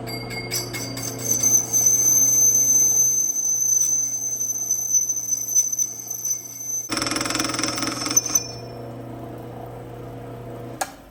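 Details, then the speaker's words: Lathe machining a Harley-Davidson 5-hole Indian Larry derby cover to fit a 3-hole primary: rapid clicks, three or four a second, over a high steady cutting whine as the tool breaks into bolt holes; interrupted cut. "That clicking noise you hear is because now I've broken into where the five hole derby cover mounts to the bike. So, because I'm breaking into those bolt holes, I get what you call an interrupted cut. That interrupted cut is making that clicking sound."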